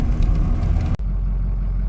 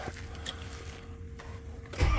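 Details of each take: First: 2006 Ford F-350 diesel after crank-no-start fixed by replacing camshaft position sensor and its pigtail plug: steady, even low rumble, no misses or knocks; back up and running, gauges now read properly. Normal running. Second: 2006 Ford F350 crank-no-start with oil pressure, fuel pressure and fuel present: starter churns at a steady rate, about three beats a second, with no firing. Cause found to be the camshaft position sensor.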